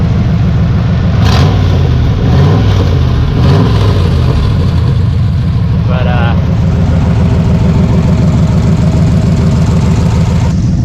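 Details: Chevrolet Caprice V8 with T56 on a race track, after landing hard off a jump: loud, harsh, raspy bark over a steady engine note; exhaust leak at the header collector, where the collector gaskets and bolts came out, bolts refitted from spares.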